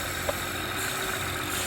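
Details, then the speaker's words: BMW after replacing a torn PCV (crankcase ventilation) valve that was blamed for an engine screaming noise: even idle with a soft, steady hiss on top but no whistle or scream; settled, normal idle. "But as you can see, the car right now is running amazing, right? No, it's good. It sounds good too, right?"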